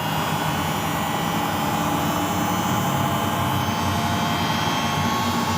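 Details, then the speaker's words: Samsung front-loading washing machine after bearing replacement, drum spinning at speed: an even, steady whoosh. The earlier snoring noise, caused by the bearing being loose on the shaft, is gone; normal spin. "kita dengarkan untuk suara ngoroknya udah tidak ada"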